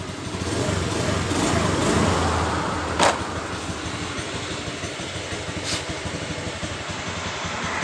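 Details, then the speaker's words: Honda Beat FI scooter with weak fuel pump (only 20 psi pressure), hesitating on throttle: uneven idle with metallic ringing from the CVT case and sharp pings near three and six seconds; CVT housing ringing noise, cause not pinned down. "suara kring di bagian bak CVT nya juga ya teman-teman Perhatikan dan dengarkan suara kring-kring di CCT"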